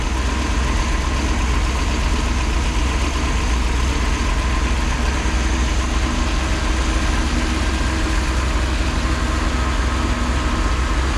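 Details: Freshly rebuilt 1968 Pontiac 400, high-compression small-valve heads, after fixing a failed cam swap and wrong intake, during break-in. Deep, steady V8 burble with an even beat, no knocks or ticks. Smooth, healthy idle.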